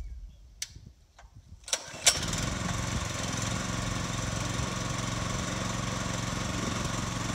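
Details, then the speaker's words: New Harbor Freight Predator 212cc replacing an old Briggs on a water pump, on plywood: a few pulls, catches and settles into steady, even putter without misses; normal start, beginning 45-minute break-in run. "But I'm gonna fire it up and let it run for probably 45 minutes, just kind of get a good heat cycle in it and get it broke in."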